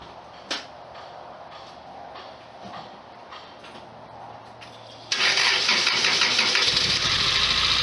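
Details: 1991 Lotus Elan, which had sat unused for a week and previously failed to start, powered from another car; faint, even cranking for about five seconds, then it catches abruptly and runs with a loud, busy roar, suspected lightly stuck fuel injectors freeing up.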